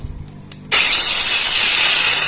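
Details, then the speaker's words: Kamolee cordless brushless battery angle grinder after regreasing the gears to cure rough noise: clicks on, spins up to a steady high whir with faint even gear hum and no harsh grinding; extra grease acts as a sound damper. Normal gear noise. "biasnya kerotekotk nah ini Enggak seberapa ya TU tuh ya tinggal teman-teman tambahkan Gris aja yang banyak ya"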